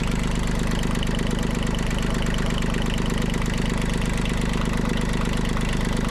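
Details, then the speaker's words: Small marine diesel that had been underwater, idling after a new alternator install and refitting the lift muffler bolt: steady, even, balanced chug about three and a half beats a second; belt shows slight movement. "Everything's reasonably balanced and sounds fairly nice for an engine that was underneath the water."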